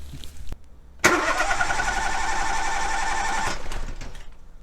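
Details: Cranking with an oscilloscope on the battery for a relative compression voltage check, all spark plugs fitted: steady, even cranking about four beats a second with no uneven or missing strokes; compression sounds balanced across cylinders.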